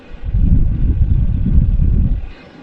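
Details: Sunster 5 kW all-in-one diesel air heater running at full heat, exhaust too hot to touch, outlet above 50°C: deep even rumbling roar that swells and holds, no rattles or surging; normal operation.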